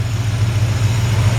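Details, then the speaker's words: 1953 Ford F100 shortbed with 302 V8 and drivetrain from a donor Mustang, mild cam: deep steady V8 idle with even pulse, no exhaust leaks or ticks, great throttle response; healthy engine. "can hear the engine no exhaust leaks no ticks super super nice sounding great throttle response"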